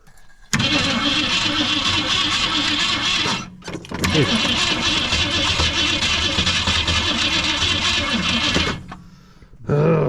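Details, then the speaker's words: 1964 Ford Fairlane 500 with 260 V8, first start attempt after 29 years, new points and condenser just fitted: several cranking bursts that sag and get shorter, last barely turning over; battery flat and can't hold the starter. "what is Ito it know the battery's done dead yep batter's done dead"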